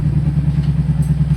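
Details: Royal Enfield Bullet 350 single-cylinder, in a workshop clip about engine noise problems: even, steady thumping at about ten beats a second with no tapping or knock. Clean normal idle.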